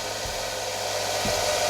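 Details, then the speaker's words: Fixed-speed benchtop belt sander fed through an old variac lowered to 100 then 80 volts: steady, even rushing whir with faint low thumps at constant pitch, still near full speed. "So now we're going to lower it to 100 and it still sounds like it's at the same RPM. Now we're going to lower it to 80 RPM. It is still pretty much at the same speed."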